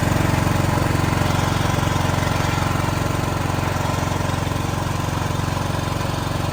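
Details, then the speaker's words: Backup diesel generator running the whole building at night during monthly emergency testing, after failing to start on first attempt; steady even thrum about three beats per second holding firm under load, normal running. "so the building now is being ran completely on generator power see no problems in here"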